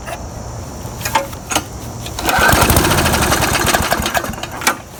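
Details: Murray lawn mower that would not start, after refilling with fresh gas and priming three times (owner suspected water in the tank): a few pulls, then it fires and holds a steady, even putter at working speed; running normally.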